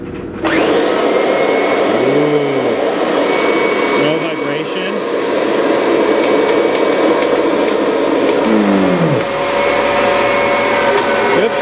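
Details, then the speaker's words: Kirby Sentria vacuum after replacing the broken impeller (owner vacuumed up a nail): motor switched on in dry mode, an even steady high whine with no wobble, rattle or thumping, running smoothly and healthy. "okay let's uh get our motor turned on put it in put it in dry here we"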